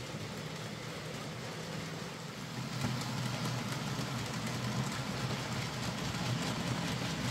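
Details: Hornby J15 model loco, bought new about two years ago, ran slow and noisy; after new motor and regreased worm gear, steady even motor hum, soft rhythmic rail clicks, no rasp or stutter: running a lot quieter and smoother, normal.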